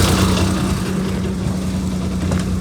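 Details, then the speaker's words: Maruti 800 at idle/low revs: deep, loud droning rumble from under the car with strong cabin vibration, far coarser than a sealed exhaust; owner suspects a damaged silencer, later repaired at a workshop. "बुलाओ बहुत तेज आवाज आवाज़ बाहर आ रहा है।"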